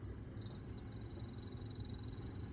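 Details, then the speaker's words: Sprinter van HVAC blower motor: thin high squeal wavering on and off above soft fan rush; owner says it gets much worse and means the motor is near end of life. "you guys hear that that's nothing that's not even a bad noise yet it makes a lot worse of a noise if yours is starting to make that noise it'll go"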